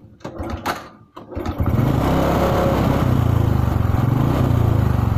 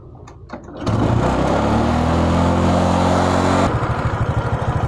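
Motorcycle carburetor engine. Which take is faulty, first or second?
first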